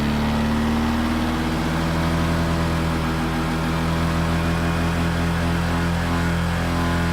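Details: Honda PCX scooter idling on center stand: constant droning buzz holding the same pitch throughout; source of buzz unknown.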